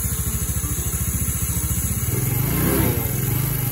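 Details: Restored Yamaha Mio scooter at idle with front cover off: fast, rough, regular rattle that eases as revs rise and returns when revs drop; noisy one-way starter clutch, slightly quieter after lubricant such as WD.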